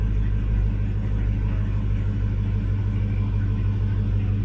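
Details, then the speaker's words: 2001 Chevrolet Suburban with misfire, cold start after tune-up with new spark plugs and wires: steady, even low rumble with regular beat and no skips; normal cold idle, check engine light still on. "of course it doesn't it hasn't been started in a minute it was a cold start you never heard a cold start"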